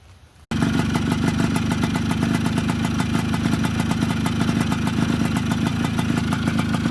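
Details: Suzuki Samurai two-stroke, ported, damaged bore replaced, original piston and rings fitted: crisp, even beat at steady speed, no knock or rattle; normal running after repair.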